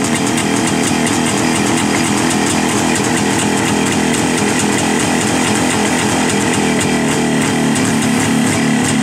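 Two-stroke buzzing along at a fast, steady crackle with crisp popping on top, running rich on the choke just after a cold start.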